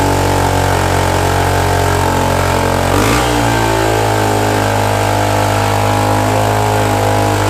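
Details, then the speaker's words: Suzuki DR-Z125 dirt bike after rebuild of a blown engine, started with fuel poured down the airbox: single cylinder idling fast and unsettled with sharp raspy puffing; idle super high and an exhaust leak. "well it's running the idle's super high and it's got an exhaust leak but it's started"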